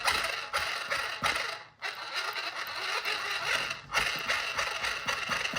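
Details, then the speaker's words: Kyosho Outlaw Rampage Pro RC truck: loud, shrill high-pitched gear whine rising and falling with throttle, believed to come mainly from the stock spur gear running out of round. "the one complaint I have about this truck is that it has a very loud gear noise it's just a very loud high pitch whiny kind of gear noise super annoying"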